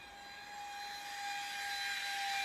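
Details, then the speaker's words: Air Hogs Wind Flyer motor powered by a 2.7 V 10 F supercapacitor charged directly; high, thin whine creeping up in pitch with no propeller load; motor spins but prop doesn't turn, gear suspected slipping. "can hear a motor spinning without the propeller while she's really annoying you must be one of the gears is spinning or slipping"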